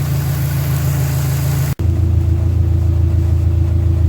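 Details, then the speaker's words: Dodge Neon stock car after cooling fan repair, engine idling cold to warm up and check the fan comes on automatically: steady, even low idle rumble, no knocks, misses or squeals; normal warm-up idle. "So before I button this all up, I'm just letting the engine run, and I'm going to let it warm up and make sure the fan is going to come on automatically like it's supposed to."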